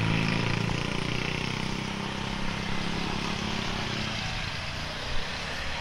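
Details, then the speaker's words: Speedybee Mario 5 DC FPV drone, Axisflying 2207.5 1960KV motors, T-Motor 5146 three-blade props, test flight after repairing motors that stuttered and would not spin: smooth, steady motor hum gliding down in pitch as throttle eases, no stutter; normal motor run. "Sekarang coba terbang aja dulu mastiin motornya enggak ada masalah ya karena penyakit awal ini dikirim ke saya penyebabnya karena motornya enggak muter."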